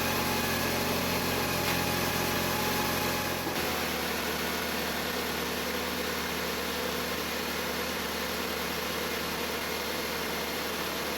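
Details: Jeep Patriot right after alternator replacement for a failing pulley bearing that had chirped loudly: engine settles into an even idle with steady hum and no squeak or chirp; normal idle.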